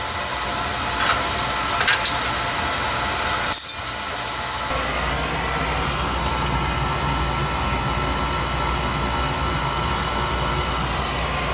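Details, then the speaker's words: Oil boiler burner after a service for running out of oil (bleeding), draft clear over the fire: a steady, even roar with a stable flame and no pulsing; running normally. "she was rocking and rolling Mama he's rocking and rolling"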